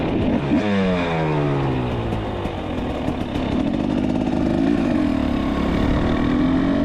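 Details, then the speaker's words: Carbureted Husqvarna TX300 two-stroke trail bike, newly built with a Wiseco piston, TMR-ported cylinder, FMF pipe and Rekluse clutch, about 10-15 minutes on it, on a road test: crisp two-stroke climbing and falling cleanly through the gears, no bogging; normal running. "Okay, so that's it. The hard part's done, and as you can see from some of this footage, the bike runs really good."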